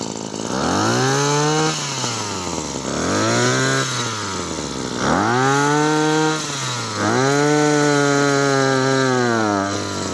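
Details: Maruyama CBC20 two-stroke brush cutter after rebuild with new crankshaft bearings, rod in good condition, tested without the clutch fitted: four clean throttle blips, pitch rising and falling evenly with no stumbling or rattles; healthy revving.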